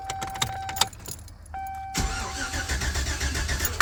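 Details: 1999–2007 classic GMC Sierra/Chevy Silverado crank-no-start: after a pause the starter turns the engine over steadily but it never fires; weak coil ground, temporary ground to a stud not enough, fixed by running the coil's black wire to battery.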